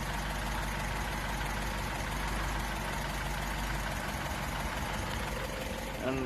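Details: Mk3 Ford Cortina Estate with rebuilt carburettor, warmed up after choke: steady, even idle with an unbroken note and no hunting or stumble; carburettor set up properly.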